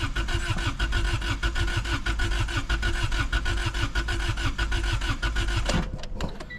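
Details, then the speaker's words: Honda Civic 1.6 L that sat about 10 years, cranked on jumper cables: steady, even cranking chug for nearly six seconds that never catches. Cranks but won't start; starting fluid into the intake planned next, cause unconfirmed. "so yeah it's not looking good I'm going to take this loose and we're going to spray into the intake"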